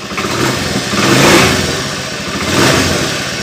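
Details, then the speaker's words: Honda Beat FI scooter after reconnecting a peeled white wire: engine revs cleanly twice and settles, no sputter or stall; previously it sputtered on throttle and died when taken off center stand. "ini dia sudah responsif ya kalau tadi kan di gas itu dia blebek ya"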